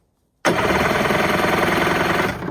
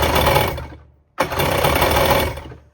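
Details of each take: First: 1994 Kawasaki 550SX stand-up jet ski, reed two-stroke, non-runner: steady, even cranking chuff with no hesitation; compression later measured about 180 psi on both cylinders, and spark present. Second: 1994 Kawasaki 550SX stand-up jet ski, said to be freshly rebuilt, on premix with oil in the cylinders: catches and runs in ragged, stumbling bursts, dying, smoking heavily; owner suspects a popped water box leaking water.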